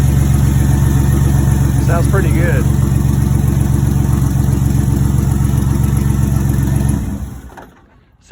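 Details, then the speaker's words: Turbo 4.3L V6 in a 2001 GMC Sonoma with a custom turbo kit and replaced factory intake gives a deep, even, lumpy idle with a low burble and no knocks or ticks; sounds like a V8, healthy. "like a V8 sounds good"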